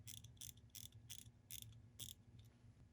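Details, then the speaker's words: Wristwatch, crown wound: only bursts of crisp ratcheting winding clicks with no steady tick underneath; the movement moves a little but is not running. "I don't hear anything running. If you can listen to that, there's nothing running. It sounds like it moves a little bit, but it's not working as it should."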